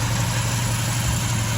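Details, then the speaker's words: Carbureted engine with Weber carburetor, cold weather, curb idle about 700 rpm: idle mixture screw turned about a quarter turn makes it run a bit rougher, RPM drops, low uneven thrum; rough idle from lean idle mixture. "running a little bit rougher the RPM's dropped off"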